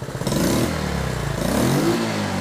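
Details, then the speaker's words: Honda 110 three-wheeler, carb rebuilt, previously bogging and backfiring on heavy throttle, ignition timing and points adjusted, warm: engine picks up cleanly on throttle, strong even note. Running much better, slight hesitation remains. "but it's sure running a lot better. Still a little hesitation there, but that could be a"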